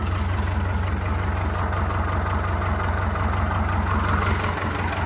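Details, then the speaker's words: 1972 IH 1468 V8 diesel tractor, first start since last December, idling on four cylinders (switches to eight when revved): deep steady lumpy idle about three pulses a second; normal, healthy engine. "incredibly unique sound we there sitting here idling on four cylinders the smooth this can be"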